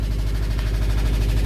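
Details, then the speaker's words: 2005 Subaru STI boxer engine, first start after compression testing: uneven idle rumble with a fast, regular knock; suspected rod knock, not confirmed. "I hooked up the connectors that are in the passenger side and there's a rod knock right there"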